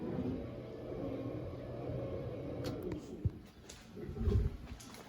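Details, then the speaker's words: Rear-mount engine cooling system on its first fill, about 8 liters in, with the water pump briefly switched on: a steady low pump hum, then low gulping burps as trapped air works out toward the bleed screw on the thermostat housing; air trapped in cooling system. "So you can hear it burping in there. So it's still going, it's pretty slow."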